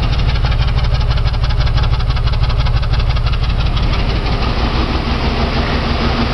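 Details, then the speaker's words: Jeep six-cylinder idling with spark plugs pulled one at a time, now running on only two of six cylinders. Heavy, lumpy idle with slow, uneven thumps about three a second, yet it keeps running. "all right let's see if it can hold its own two cylinders right now two out of six cylinders listen to this"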